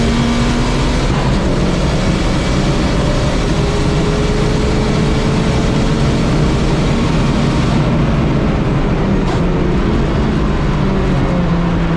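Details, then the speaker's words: Turbocharged Nissan Micra time-attack car, engine in ill health with oil covering the windscreen after a lap: loud rough idle with a coarse puffing chuff, an exhaust blow from an unknown location. "As you can hear, I've got an exhaust blow. Clueless as to where this exhaust blow is at this point."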